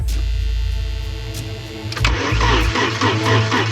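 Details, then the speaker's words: 1982 Porsche 924 Turbo (turbo engine, manual with clutch in) after years of storage, fuel pump on: slow, labored cranking at roughly four turns a second that never catches; the starter turns it over but there's no start because it is out of fuel. "rails. Turn over really slow. Come on. [Music] [Music] I don't think there's any fuel in this."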